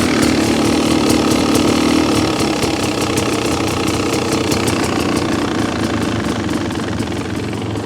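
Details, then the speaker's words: 2026 Beta XTrainer 300 two-stroke, no choke, while adjusting the carburetor idle screw half a turn at a time: fast, crisp, rapid even crackle; idle set too high. "Might have gone a little high. You can hear how high that is."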